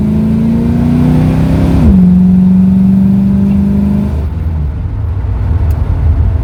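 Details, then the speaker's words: 1971 Ford Torino, rebuilt 302 V8 with C4 automatic, test drive: note climbs smoothly under throttle, drops cleanly at the shift, then holds steady with no pinging or rattles. Runs healthy. "So it's good and smooth as far as driving it. I don't really feel no kind of response problems. I don't hear no pinging or rattling or jarring around."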